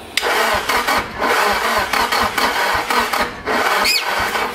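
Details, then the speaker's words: Nissan SR20DET first start after 1.5 years standing, start map and ignition not set right: labored, uneven cranking on a too-low battery with a sharp pop from the exhaust; backfiring, ignition order or timing suspected. "It sounds like it ignites backwards Sounds like an ignition problem, the order or something"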